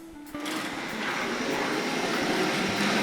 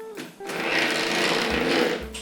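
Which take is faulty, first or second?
second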